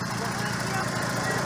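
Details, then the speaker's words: 1988 Mazda 323 GTX, 68,306 miles, with an MSD ignition; small four-cylinder ticking over at a steady, even pace with a light regular pulse and no stumbles, idling smoothly and healthy. "I can set my morning coffee on them cam covers right there, and I'm not going to spill a drop. Nice and smooth."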